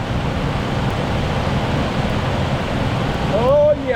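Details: 1979 Jeep Cherokee Chief S Wide Track, long-stored V8 believed to be a 360, first start after priming, on a booster. A rough, rushing run with no knock or tick; bottom end sounds sound, but fuel is spitting everywhere.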